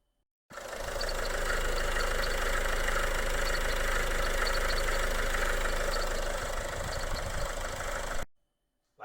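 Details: Engine idling with the alternator belt disconnected after a dealer timing belt job; the owner suspects the water pump. Steady idle with an even whirring rumble and a fast regular tick that persists; bearing noise, source not confirmed.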